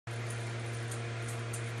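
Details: Morningstar 600V solar charge controller producing a steady low electrical hum with a faint buzzy edge, constant pitch and level; owner was concerned, but the manual says such buzzing, humming or clicking is normal and needs no action.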